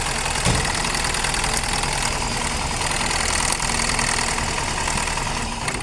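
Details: Engine with no power idling unevenly and lumpily, stumbling about twice a second over loud clatter. Plugs were already changed and the ignition coil and one injector checked okay; owner suspects only two cylinders firing, a misfire not yet confirmed.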